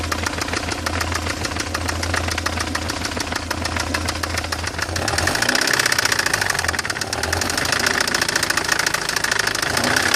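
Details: BMW E46 318i M43TU engine: fast, even ticking knock over the idle that continues as the engine note shifts; owner suspects the chain tensioner, cause undetermined.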